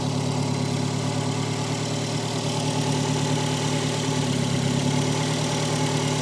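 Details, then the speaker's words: Peugeot 405 1.9L GRX4 carburettor engine before adjustment: uneven, lumpy, irregular idle under steady engine drone; carburettor not set, running badly, mixture to be adjusted with a Colortune. "il n'est pas réglé il tourne mal"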